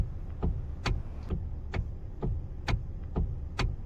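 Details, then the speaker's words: Steering heard while turning the wheel: dull, dry knocks about twice a second over a low hum, also heard in curves and at low speed. Worn steering tie rod ends or ball joints. "ya que si tú lo escuchas al girar el volante o cuando das una curva o cuando estás a una baja velocidad, ese golpe seco suele venir de los terminales de la dirección, de las rótulas que están desgastadas,"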